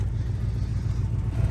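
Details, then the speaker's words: 2004 Ford Crown Victoria P71 Police Interceptor V8 with a little throttle. Deep, uneven idle with a ragged puffing chuff on each firing pulse: an exhaust leak from pipe rusted through under the driver side. "is that crazy exhaust leak so uh portion of the pipe literally right under the driver uh side is uh rusted out so it it has this really really nice exhaust leak"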